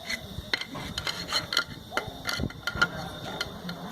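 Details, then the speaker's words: Rear differential of a 24250 truck, clunking when the driver lifts off the throttle in gear: sharp irregular metallic clunks as the driveshaft flange is rocked by hand. Excessive crown-and-pinion play, likely from a worn bearing that should have preload. "aqui não pode ter folga tem que ter uma prec carg Zinha Então tá isso aí tirava o pé engatado ele fazia um barulhão"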